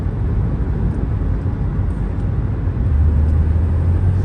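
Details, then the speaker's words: Honda bought for $585, after replacing the VTEC assembly housing to fix code P2647 limp mode (stalling between 2-3k rpm): steady low engine rumble building smoothly as revs climb, no knocks or misses; no check engine light, running smooth. "As the RPMs goes up, smooth run."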